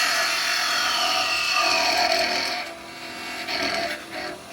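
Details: Record Power 1/4" spindle gouge, shortened, cutting on the lathe: high, wavering screech with gritty chatter, easing off near the end.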